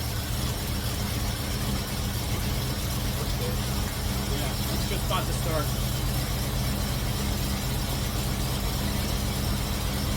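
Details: Cutlass V8 after fitting MSD 8225 HEI coil, MSD 83647 module, Moroso Ultra 40 wires and ACDelco R44LTS plugs to cure long-running misfire: steady, even low idle, no misses, stumbles or ticking, with timing set close, carburetor circuit adjusted, vacuum mid-range.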